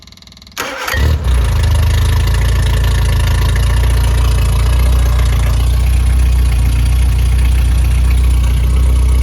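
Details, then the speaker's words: Freshly rebuilt Triumph Spitfire 1500 engine without a muffler: quick crank, immediate catch, then a loud steady even idle with fuel-pump clicking and no knocks; compression 190–210 psi, oil pressure 80 psi cold, 47 psi hot. "that clicking noise is the fuel pump and uh does not have a muffler so it is a little bit loud"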